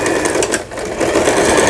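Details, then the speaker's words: Lion Mising–sold Janome SS308 sewing machine from 2011, plastic body visibly shaking; fast even stitching chatter with a light buzz from the plastic housing, no grinding, sewing normally. "요 바디라고 그래가지고 몸체가 플라스틱으로 되어 있어서 흔들리는 걸 이렇게 보실 수가 있습니다."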